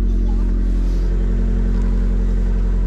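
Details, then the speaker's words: Cheap Abarth with 45,000 on the clock, no warning lights except fuel, first start after purchase: steady even low rumble with no knocks or ticks; healthy idle, though a strange sound underneath is suspected to be an exhaust bracket. "right so that sounds really good really good you hear that it's a car it's a car"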